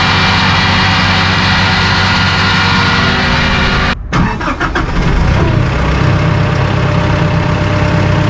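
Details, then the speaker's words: Massey Ferguson DM164 disc mower on 2850M compact tractor, PTO at 540 rpm, about 2400 engine rpm, back panel open: loud steady high-speed disc whir over even tractor drone. Normal operation. "and you can open the back panel you can hear it running if it sounds like a 747 taking off it's right"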